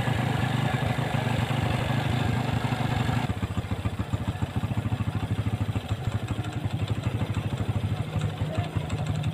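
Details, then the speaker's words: Honda Revo fuel-injected motorcycle, after repair of a ticking noise: small single settles into a quick, even putter at idle with no ticking on top; running smoothly. "Oke untuk suaranya halus ya hasilnya halus"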